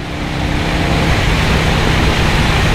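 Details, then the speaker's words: 1984 Harley-Davidson FLT Tour Glide, 2-into-1 SuperTrap exhaust, revived after sitting 20 years, cruising on the highway at about 4,000 rpm: steady, even low V-twin exhaust drone under heavy wind rush, no knocks or misses; running healthy. "But she's cruising pretty good on the highway, I will say that."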